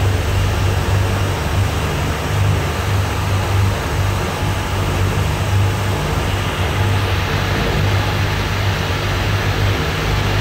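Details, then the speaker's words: Brand-new Rotec R2800 radial for a Kitfox on test run, oil and fuel pressure good, run a couple of hours: deep, steady, even rumble with no misses, knocks or surging; ran fantastic, made good power, idled smoothly. "engine ran fantastic made good power idle smoothly it's been running for a couple of hours now so uh that's generally good enough"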